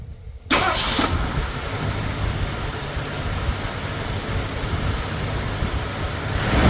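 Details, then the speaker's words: Ford Thunderbird Town Landau with a new fuel pump and rebuilt carburetor, restarted after the disconnected coil wire was found: catches first try and settles into an even, steady idle with no stumble; back to normal. "Ah, there we go. Back to normal."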